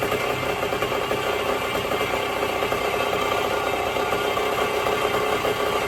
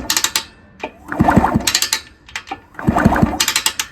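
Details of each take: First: 1974 Indian SE74, Minarelli P4-70 two-stroke, sat about 30 years; after carb rebuild, fabricated magneto woodruff key, points reset, oil change, idle screw turned out: steady even idle, buzzy note, no misses; idles on its own. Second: 1974 Indian SE74 dirt bike, Minarelli P4-70 engine, after sitting about 30 years, kicked over with oil in it before a compression test: a gritty crunching and clicking with each kick, about every 1.5 seconds. Cause not confirmed.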